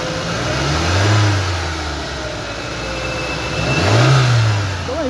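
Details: 2007 Ford Focus petrol engine, after replacing a broken fuel injector that caused intermittent misfire and power loss: blipped twice, revs rising and falling smoothly with no stumble or missed beats; smooth revving, no misfire.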